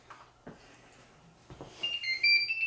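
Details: Anycubic Mega Pro 3D printer switched on: a couple of soft clicks, then a short bright chime of high beeping notes, the printer's normal power-on startup tune.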